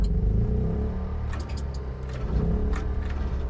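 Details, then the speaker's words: Diesel with batteries from 2018, about four years old, after charging from a generator; lights come on but it still won't crank, only a low labored groan and scattered clacks with no catch. Weak cranking from discharged battery; jump-start considered. "Nope, still won't crank. It tried to crank there, got a little but not enough to crank it."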